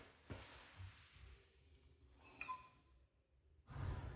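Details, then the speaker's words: 2012 Ducati Multistrada 1200, 72,000 km, turned by hand in sixth gear with plugs out after a valve adjustment and timing belt refit: slow compression whooshes and a sharp metallic tap, seemingly from the vertical cylinder; owner suspects piston-to-valve contact. "so you can hear the compression like whooing noise but then you can hear that tap"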